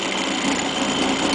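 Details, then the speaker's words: Robotic quilting machine with track engaged, after a Stitch Regulator Not Found error: fast buzzy grumbling rattle as the carriage moves, not slipping, good wheel contact; vibration makes stitch lines squiggle, cause unknown. "Now I'm getting that grumbling vibration sound again. I got a loss. I mean, it's moving. It's not slipping on the track at all."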